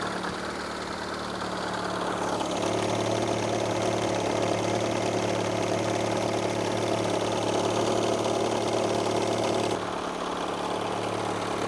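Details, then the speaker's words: Project car started for first time after many changes, a week before a road trip: light fast rattle about three per second riding along a steady idle; owner thinks something may be loose, source unconfirmed. "Car started right up. However, there's a really weird noise going on that I don't like at all. A noise that I've never heard before. Something sounds like it's rattling again."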